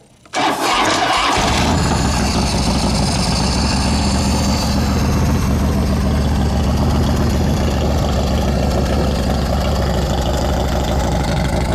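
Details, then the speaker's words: Cold start of a 2007 American Ironhorse Legend chopper (S&S 117ci, 4,870 miles) with choke and fuel on and compression releases pressed: brief crank, quick catch into a strong, even thumping run. A healthy cold start. "Now it's a cold engine. You can see, can touch it here. We're going to do a cold start so you can see how easy this bike starts up."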